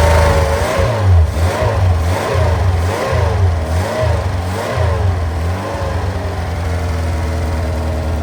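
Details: Customer engine on secondhand dyno for gentle running in, restarted after reconnecting fuel pipe to pump and letting carbs settle: a few throttle blips, then low steady idle with no misfire or knock; sounds healthy, settled now.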